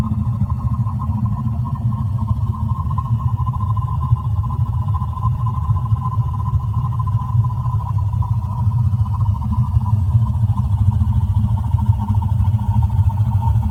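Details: A.O. Smith boiler water heater making a loud, steady low rumble with a constant hum near one kilohertz, unbroken throughout; it should be shut off and a technician called: abnormal boiler noise.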